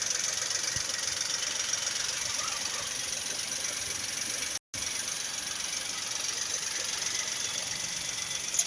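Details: Volkswagen Polo at idle: thin, hissy, ticking chatter about four times a second, unevenly spaced; odd top-end engine noise, source unclear.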